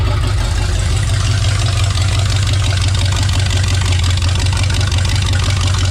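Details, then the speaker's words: Rat rod V8 after rebuilt transmission install, rewiring and fuel pressure set to 6-7: loud, deep idle with a steady even lope, no misses, knocks or ticks; normal idle. "Tree rod's running, guys. It's pretty loud."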